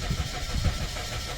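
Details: Suzuki Swift cranking with steady low chugging but never starting, immobilizer light on; no-start caused by defective ECU.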